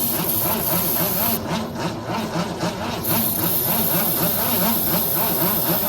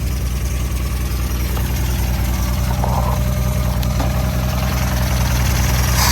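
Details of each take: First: 1964 Ford Falcon wagon that sat 46 years in a field with plugs removed, cranked after reinstalling plugs: steady, sluggish cranking at about four beats a second with no catch; weak starter cannot spin the engine. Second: 1964 Ford Falcon station wagon, sat in a field 46 years with plugs out, first start with the original carburetor holding: steady idle with a few light revs rising and falling cleanly, holding idle on its own; oil still to be changed.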